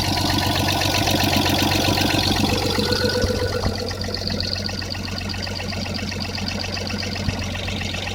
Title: Стук клапанов 1FZ-FE